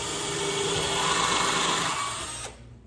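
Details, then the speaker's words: Cordless drill (not impact) pre-drilling holes in wood for a mortar rack: whine sags and roughens under load then drops off abruptly; low battery losing power, died and was swapped. "Holes pre-drilled, and I can sense my battery might be running a little bit low, so if it runs out while I'm in the middle of the recording, I do have a backup."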